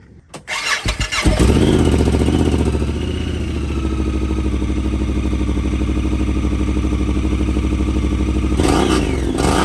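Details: 2018 Honda Pioneer 1000-5 after installing aftermarket all-aluminum Hess Motorsports motor mount (driver's side mount bolts had been missing, holes stripped): engine cranks, catches, settles into steady even throb, no banging; normal running.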